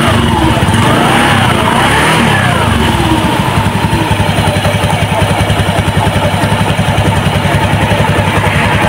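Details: Honda Beat FI K44 scooter that was noisy in the CVT, test-run after replacing the worn roller housing and worn rollers, before refitting the CVT cover: a steady, even putter that rises cleanly when revved, with no belt-drive rattle. Normal CVT running.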